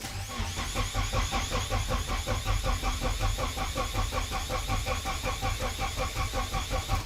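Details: Nissan S13 240SX budget turbo build on its first start attempt, with a leaking fuel fitting and the fuel pump no longer running; steady cranking at about two and a half turns a second that never catches; crank no start, fuel delivery suspect.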